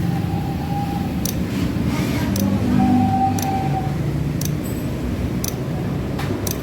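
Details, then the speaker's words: Honda Beat FI scooter, battery about 11 V, kick starter removed: sharp single clicks about once a second from starter, no cranking; engine will not crank. "tidak bisa starter, cuman ceklek-ceklek doang di bending starternya."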